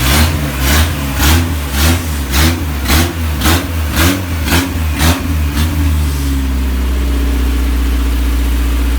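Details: Isuzu Rodeo 4ZE1 four-cylinder after top-end rebuild (new head, old cam), compression not yet checked: several sharp throttle blips dropping back cleanly, then smooth even idle on all four; owner believes slight misfire is timing.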